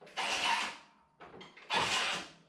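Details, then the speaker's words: Toro TimeCutter 50-inch zero-turn mower, fairly new, in a no-start diagnosis: key on and handles moved in, two short whirring bursts show the brake control module (neutral safety switch) is actuating normally. "so we hear that noise, which is great, because one of the other most common issues is that brake control module going bad, which will prevent this mower from basically starting and working at all."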